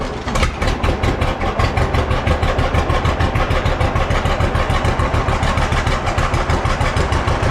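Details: Old John Deere B tractor just started after carburetor float check, new lower radiator hose: slow chuffing idle about three beats a second, slightly uneven; runs a little rough, owner wants it evened out, likely carburetor.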